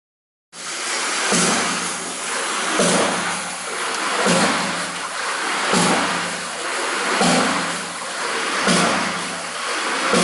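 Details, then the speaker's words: Victorian hydraulic ram pump at Clapham, Yorkshire, still working. A sharp thud about every 1.5 s over rushing water: the water-hammer cycle. The waste valve closes, the delivery valve opens, and an air pressure vessel cushions it. Normal operation. "This creates a water hammer, the sound that you can hear. The result of that is a second valve is opened, the delivery valve."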